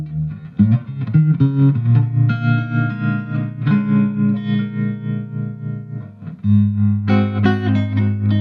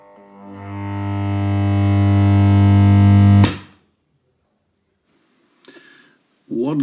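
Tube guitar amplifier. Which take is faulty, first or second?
second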